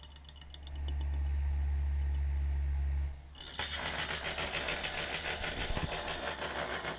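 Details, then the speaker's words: F1202512 SM 12 V 0.2 A cooling fan with the microphone touched to it. It makes a deep, steady buzzing hum, running but vibrating badly on a worn, loose bushing; the fix is disassembling it and oiling the bushings. "It's actually running pretty good right now, but it's really vibrating badly."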